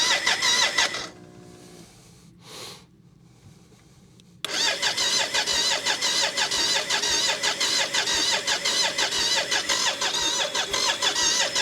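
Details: BMW K75 cafe racer custom with new wiring to the ignition unit and coils, fuel now at pressure: brief catch, pause, then a steady crank at about two beats a second that never runs; owner suspects the air intake with the plenum top still open, or low fuel.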